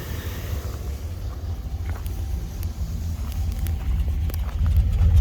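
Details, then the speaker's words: 2000 Dodge Ram Van 3500, 5.9 L Magnum V8, automatic, about 138,000 miles, check engine light on: fires right up, then a deep, lumpy, loping rumble at a very low idle that shakes the engine. Owner suspects the fuel pump. "Check engine light is on. Fires right up. But then here's this really low idle. I'm glad it showed up immediately because it hasn't always done that."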